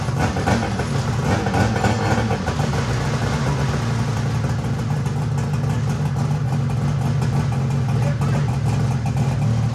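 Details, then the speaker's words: Mini jet boat two-stroke running for the first time ever: buzzy idle with light throttle blips, running evenly with no stumbling or misfire; the kill switch works. "All right, kill switch works, too. That's good. Sweet. Freaking thing runs for the first time ever."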